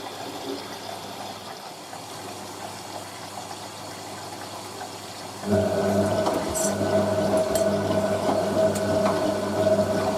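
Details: Hotpoint 9530 Electronic 1000 Plus washer, Programme 4 50°C coloured synthetics, polyester/cotton load, final rinse: quiet water trickle, then steady low pump hum with running water joining halfway; normal fill and pump.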